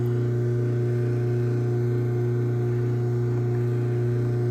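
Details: Craftsman 139.53930 garage door opener closing, started by the keypad's enter button after keypad programming: steady, even low motor hum with a constant drone, no grinding, knocking or straining; operating normally.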